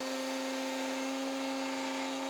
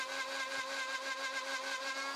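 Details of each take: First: Router in the jig fitted with an upcut spiral bit that lifts dust up and out of the cut: steady, clean high hum holding pitch without bogging or chatter; the bit cuts freely, unlike the clogging flush trim bit. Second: Router cutting a jig joint with a straight-cutter flush trim bit: high whining tone pulses several times a second as the cut loads and frees, the bit struggling to clear dust and packing with chips.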